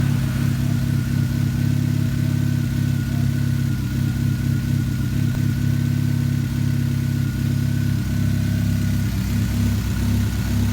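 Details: 2013 Chevrolet Spark small four-cylinder idling with a lumpy beat and regular stumble through the hum; idle misfire, cause not yet pinned down.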